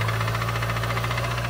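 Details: 2010 Mazda 3 2.3 turbo, new oil full of metal, clanking from down below: rapid, even metallic clatter over a rough idle, loud and constant; worn bottom end knocking, engine needs replacing.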